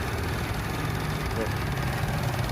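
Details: Suzuki Amenity (same engine as Esteem 1.3) idling just after an oil change done without changing the oil filter: soft, even low hum with no knocks, misses or ticks; runs smoothly and nearly silently.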